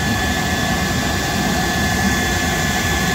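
A steady, even rush of air with a faint fixed whistle: the boiler blower running normally.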